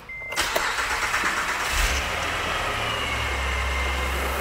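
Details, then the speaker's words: 2008 Acura TL, J32 Honda V6, after new timing belt and crank sensor: brief starter whir, engine catches cleanly and settles into a steady, even idle with no misfire or rattle; normal start and idle after repair. "here it is i didn't do anything but put the belt on it i swear and that crank sensor and here we are"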